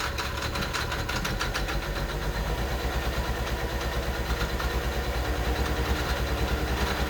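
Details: Cold Mercedes 300SE, injectors already replaced, idles unevenly after a hard start on a possibly weak battery, with irregular chuff and faint tick; owner suspects fuel distributor, its electronic actuator or fuel pressure regulator; rough idle, cause unconfirmed.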